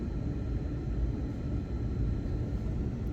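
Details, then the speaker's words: 2004 Duramax truck, HVAC blower motor plugged back in on fan setting 4 with ignition energized: steady, even low rush of air, no rubbing, ticking or squeal; blower works, fault traced to missing power at the HVAC fuse. "so let's energize it all right so we got sounds like we got the blower working"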